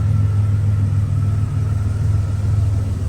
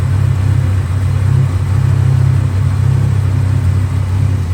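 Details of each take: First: 1987 Buick Grand National turbo, 32K miles, sat 12-13 years, warmed up on a 40-degree day, idle and throttle blip: deep even rumble with no knocks or misses, sounds good; no smoke, just condensation; leaking oil, fuel in the oil. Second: 1987 Buick Grand National turbo, one owner, 32,000 miles, abandoned 12–13 years, running on new plugs, fresh gas and filter: deep, uneven, lumpy rich idle; pulling the vacuum line killed it and a drop of gas came out, so owner suspects a leaking fuel pressure regulator.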